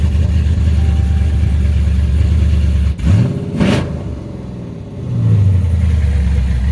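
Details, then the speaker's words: 2018 Dodge Charger R/T V8 with Jay Greene 217/238 cam, long-tube headers, full exhaust, intake and Diablo tune, warmed up a little: deep lumpy idle swells into a quick rev and settles evenly, no knocks or rattles. Normal, extremely healthy. "Of course, as you can hear it now that it's warmed up a little bit, it's still extremely healthy."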